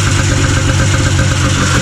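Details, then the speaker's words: 1980 Yamaha Enticer 300 vintage ice race sled, two-stroke. It previously ran only on choke; the carb was cleaned. Low, uneven burble at idle, loaded up with fuel. Owner suspects a still-clogged carb passage or a failing Mikuni fuel pump. "Alrighty, boys, so we got it running. Running pretty poorly. This carb setup is not so good."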